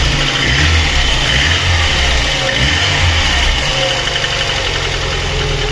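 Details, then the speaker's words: VAZ 21099 after cylinder head repair for misfire and lost compression in cylinder four, valve clearances exhaust 0.40, intake 0.25, fully warmed up, running on petrol: even, steady running with no misses or knocks; fan has cycled, healthy. "Ось так працює на бензи ні на газу також уже працював тут у нас обраточка качає вентилятор уже включався антифриз"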